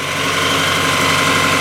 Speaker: And the exhaust is now working again. And if you listen carefully, solid rice cake farts. Not a misfire at all.